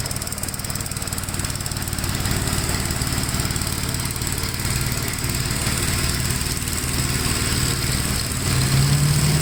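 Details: 1957 Gravely tractor mowing soaked grass: its single cylinder thumps steady and strong under load, pulling evenly without misses or knocks. It cuts easily with power to spare; the remote PTO lever possibly popped out. A healthy engine.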